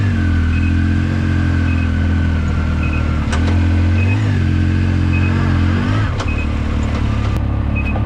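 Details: 2019 Yamaha YXZ1000R SS side-by-side, 5-speed sequential gearbox with clutch and paddle shifters, driving: steady engine drone with faint gear whine rising and falling with each shift; normal gearbox whine.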